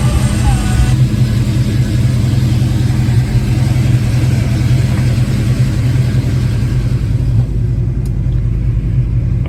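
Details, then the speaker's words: Foxbody Mustang with hot-start and surging-idle trouble, first cold start of the day, timing about 12 degrees: it starts right up into a steady, even, slightly fast idle that is coming down; no misses or knocks. "So far so good. Started right up like I expected. It hasn't been started yet today. It's coming down on its RPM. Looks like it's still a little high."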